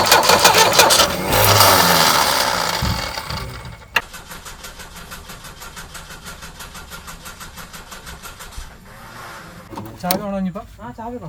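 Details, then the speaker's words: Tata Sumo direct-injection diesel cold start after long standing, starter and engine free, not seized; cranks evenly about three pulses a second but never fires; air in the diesel fuel lines, injector lines being cracked to bleed it. "ചാവി ഓണാണെങ്കിൽ കുഴപ്പമില്ല. പൊട്ടിക്കാണ്, air ഒഴിവാക്കണം."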